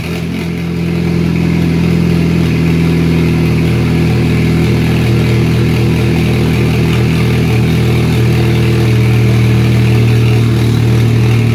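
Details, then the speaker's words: 2004 Chevy Cavalier 2.2L Ecotec I4 with 57mm turbo, first start on two-year-old fuel without intake or exhaust sensors, exhaust half-fitted: strong, even low idle with no misses or rattles, loud but muffled by the turbo; normal idle. "So I guess it sounds pretty alright with something with no sensors on it. It's pretty loud. That turbo does good for a muffler though"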